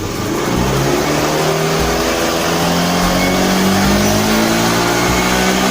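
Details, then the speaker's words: Honda Beat FI scooter, complaint of sluggish, powerless response: snapped throttle gives a rising drone that climbs sluggishly and flattens instead of revving freely; bogging traced to the faulty throttle position sensor (TPS). "Nah kalau kita gasnya kita gas spontan langsung kumat dia ya"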